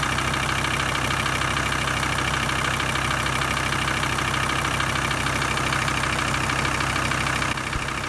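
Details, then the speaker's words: VW T4 2.5 TDI van at idle in neutral after replacing fuel sender unit (was sucking air) and fuel filter: steady diesel clatter with faint irregular ticking while remaining air bubbles bleed through the half-filled filter. "so there will be quite a bit of air still getting sucked through i reckon for maybe at least another four or five minutes until all those little air bubbles are cleared so i'm just going to leave it ticking over for a little while"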